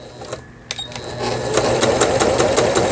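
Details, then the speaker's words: Juki HZL-K65 horizontal-hook sewing machine after repair, function check at slow speed: even, light ticking at roughly two to three stitches a second, clean and steady. A healthy machine sewing slowly. "예, 각종 기능들 정상적으로 작동되는가를 지금 확인 중입니다."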